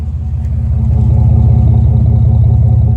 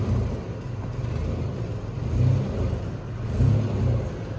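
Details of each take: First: Chevrolet Blazer idling then small-to-moderate revs after a cat-back job with an off-brand Flowmaster Super 10-style muffler and a small aftermarket cat: deep, even burble, no ticking or puffing, former exhaust leak gone. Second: Chevrolet Blazer: deep raspy exhaust rumble at idle with two small rev swells, from a blown flange gasket leaking exhaust.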